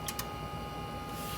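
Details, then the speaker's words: Stanford Research Systems DS340 function generator, which shows a fault code at power-up, set to 10 MHz with amplitude changed from 1 to 2 V peak-to-peak. Two quick relay clicks over a faint hum: the attenuator relays are switching normally. "I can hear some relays clicking so it sounds like the attenuator sections are probably working okay some activity internally so that's always good to hear"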